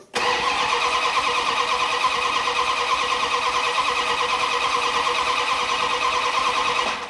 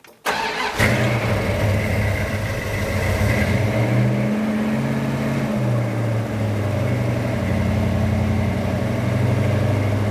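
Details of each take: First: 1972 Dodge Dart Swinger with newly installed engine, starter cranking about three turns a second for seven seconds with no firing; crank no start, distributor reinstalled 180 degrees out. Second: 1972 Dodge Dart Swinger V8 with Comp XE268 cam and Flowmaster 40 exhaust dumped before the axle, on fast idle warming up: steady, even fast idle with a smooth lope and no knocks or misses; running healthy.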